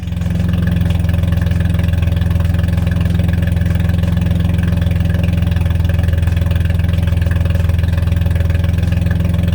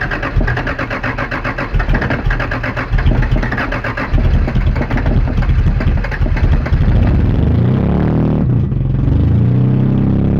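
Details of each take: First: 1982 Toyota Celica Supra, first run after revival, open header, no cooling system fitted: loud deep even burble with steady rapid beat; idle holds smooth and healthy. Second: 1982 Celica Supra at first run, with fuel leaking at the filler neck: lumpy running that sags and nearly dies between throttle blips. It won't hold idle and stalls but takes gas; owner wonders if timing is off.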